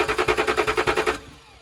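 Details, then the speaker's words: Range Rover diesel, fuel system bled with new tool, good pressure at valve: starter spins in fast even pulses but never fires; crank no-start, fuel starvation suspected. "So will it run? Well, the answer to that, quite frankly, is no. Still, it will not run."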